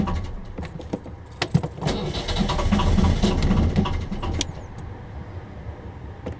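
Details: 1.5 BMC diesel narrowboat engine: starter cranks in uneven bursts with weak catches that die out, never picking up speed; happens every start. Hard starting, cranks but won't fire.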